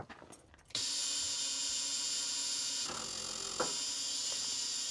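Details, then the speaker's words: Rare big-power semi truck, batteries charged from another truck after showing low voltage: the key gives a fast high-pitched buzz and rapid clicking with no cranking. The owner suspects the series-parallel batteries are wired wrong, possibly the two negatives. "All it does is make a weird clickity click sound like a buzz from the series parallel. And in my experience, typically when that happens, what's going on is the batteries are hooked up wrong."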